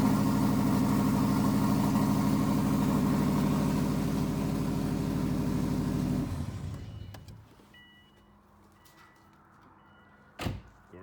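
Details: 2006 Subaru 2.5i with swapped-in JDM WRX engine and 6-speed, first start after correcting a reversed fuel feed line: engine catches, holds a steady, even idle with a regular low pulse for about six seconds, then shuts off cleanly; normal idle.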